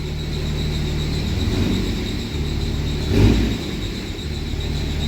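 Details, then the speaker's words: Cummins diesel truck after fixing a zero rail pressure fault: a steady, even idle with a smooth low throb and no misfire heard as before. Rail pressure no longer jumps, fluctuating about 100 psi. Normal idle. "I love the squeaky Cummins about the elite that almost sounds like it runs better I don't hear a misfire like I did before"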